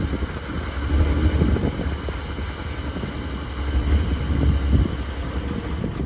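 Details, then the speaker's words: 1976 Ford Pinto after fuel pump was rigged with new wiring run over the hood, pump not bad: low, even idle rumble with no stumble or stall; engine running normally. "Hear it working now? Oh yeah. Yeah, it's working now."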